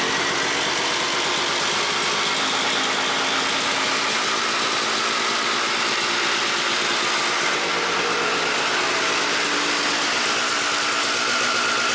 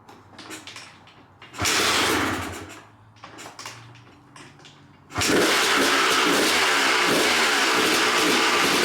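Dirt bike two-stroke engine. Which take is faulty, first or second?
second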